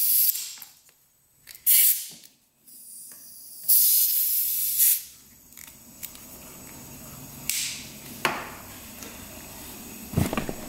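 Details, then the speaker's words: 2001 Yamaha WR250F, rebuilt but won't start: leak-down test at about 20 psi with the cylinder at top dead centre; air hisses out of the airbox in bursts, none from exhaust, so an intake valve, one previously repaired, is leaking and not sealing. "you can hear it coming out of the airbox so intake valves are leaking"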